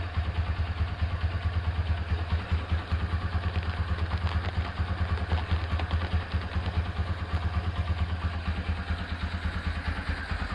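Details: Restored Honda Tiger Revo engine with refreshed carburetor and BRT camshaft, idling after rebuild: even single-cylinder thump with a steady beat and faint occasional carb spit, which the BRT cam causes; normal idle.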